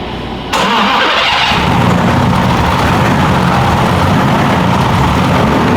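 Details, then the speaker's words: BMW E46 with M52 engine and Precision 6466 turbo, first start after engine build, not run in a long time; air heard in the fuel line while priming. Starter cranks steadily, then catches into a rough, uneven run; good oil and fuel pressure afterwards. "I mean, it hasn't run in a long time. It's probably gonna run like shit for a second."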